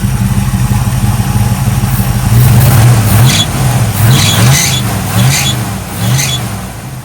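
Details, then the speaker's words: 1965 Chevy Nova wagon V8 with newly fitted Holley 450 carburetor: four throttle blips, each bringing a brief high shrill drive belt squeal, now revving fast enough to squeal; idles smooth, belt may need tightening. "squealing bad, but that's a good problem because before you couldn't rev it fast enough to make the belt squeal."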